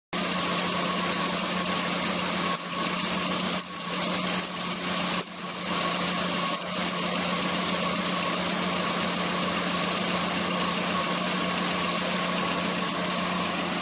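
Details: Car A/C compressor: steady high squeal and hiss over the running engine; compressor must be removed and sent for overhaul, suspected magnetic clutch problem, not confirmed.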